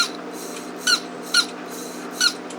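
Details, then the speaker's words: Old Mercedes door lock pump motor, with internal brush fallen out, no power and play in the shaft; short high-pitched chirping squeaks about every half second over a faint hum; worn motor bearing squeak. "also has bearing problems there's a lot of play on it"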